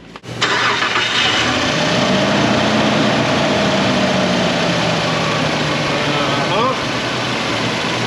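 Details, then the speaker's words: 2000 Nissan Pathfinder 3.3 first start after refilling oil, before coolant and AC recharge: engine cranks briefly, catches cleanly and settles into a steady, even idle with oil pressure and no knocks or ticks; normal start and idle. "Okay, it's alive. Got oil pressure. Sounds good."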